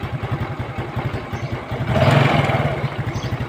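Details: Yamaha Fino scooter that died while riding and wouldn't restart, after refitting the carburetor intake boot that had come off (air filter bolt broken, zip-tied); even steady putter at idle with a brief throttle blip, no stumbling or dying; normal idle.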